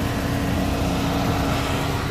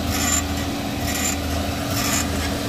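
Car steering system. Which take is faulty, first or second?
second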